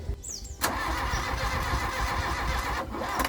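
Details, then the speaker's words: Mk1 Volkswagen Golf paddock find, fuel poured into the head, firing order 1-3-4-2, ignition timing possibly 180° out: starter drags the engine over unevenly for a few seconds without catching, laboured and binding; slow hydrolock suspected, not confirmed. "that sounds way more it's baring doesn't why is it doing that I don't know that's odd"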